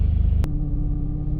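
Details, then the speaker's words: 2006 Jeep Liberty 3.7L after rough-idle repairs, warmed to operating temperature, no A/C, cooling fan not yet on: low steady rumble at about 600–650 rpm, no stumble or surging; idle smooth and consistent. "so we've allowed the engine to warm up to operating temperature and if you take a look at the tach there it's holding a really steady right at currently 600 I guess it's just a tick above the 600 line maybe 625 650 as far as RPMs"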